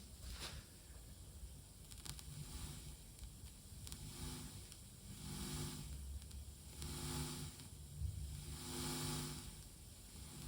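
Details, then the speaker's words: Tascam LM-8ST mixer: hiss and low hum swell and fade as the volume is swept, with scattered crackles and pops on the left channel of the ST outputs, regardless of cable or speaker, and louder on the master. "You can hear the cracking, popping noise as well. You can already hear it on the single channel, but on the master for sure."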